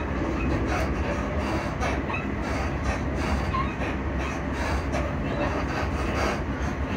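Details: Class 334 train running into Edinburgh Park: heavy low rumble with steady clatter and knocks from underneath; noisy suspension, exact source not pinned down.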